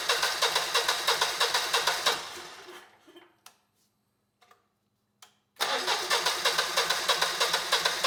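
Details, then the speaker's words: Generac GP17500 17,500 W portable generator (model 0057351), bought non-running, choke applied: even starter cranking at about three beats a second in two long bursts, never catching. Crank-no-start, possibly from a clogged carb. "And we get absolutely no signs of life. So either the carb is really clogged up or we have some other problem going on here."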